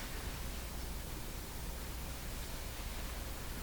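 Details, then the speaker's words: Hammarlund or Hallicrafters communications receiver of unknown history at first power-up, on reduced line voltage of 88 volts with no antenna connected; only a flat, steady hiss, no stations or tones: no reception at low line voltage. "still not hearing anything nothing at all 88 volts okay we got to go higher"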